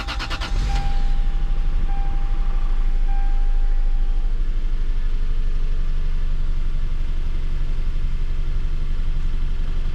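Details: 2003 Lexus GS300, 270,000 miles, after oil change and worn-part repairs: starter cranks briefly, engine catches and settles into a smooth, even low idle with no knocks or ticks; healthy start.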